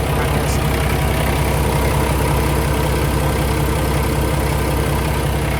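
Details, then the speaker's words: 2016 Kenworth T680 with Paccar MX13 485hp diesel, 13-speed, at idle from outside: low even diesel clatter with no camshaft tick or knock; engine sounds healthy. "Sounds perfectly normal to me. Good, healthy engine."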